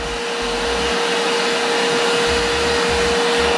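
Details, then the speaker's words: Multipro 3-in-1 vacuum cleaner, 650 W, 10 L tank, blower mode with hose on top port: steady even motor whine over strong air rush, no rattling or surging; strong airflow usable for drying carpets, normal. "Kencang ini teman-teman. Tiup ini bisa untuk ngeringin ya. Untuk ngeringin karpet atau apa gitu ya, ini bisa jadi blower nih."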